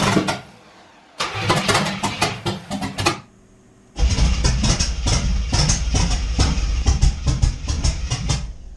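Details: C4 Corvette after carburetor swap with new headers, first start, timing off: two bursts of uneven cranking, then stumbling ragged lumpy run with popping; rough start with backfire through carburetor.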